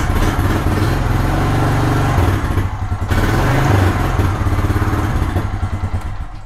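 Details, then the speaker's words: ATV starts and its small single-cylinder engine runs at an even, steady fast idle. The dead lead-acid battery was charged for an hour and a half by a mini MPPT charger from a 50-watt solar panel. It runs normally. "got the battery connected to the ATV let's see if it starts this is using the little mini mppt charger for we left it on the charger for an hour and a half here we go starting look at that it actually works"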